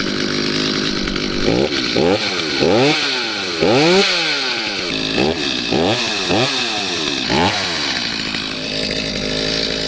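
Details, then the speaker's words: Stihl MS250C chainsaw after replacing bogging carburettor with brand-new unadjusted one: fires up and revs cleanly, crisp blips rising and falling evenly to steady idle, no bogging or hesitation; normal running after repair. "basically it's just a brand new carb out of the box installed on the saw and usually they work perfectly just the way they are"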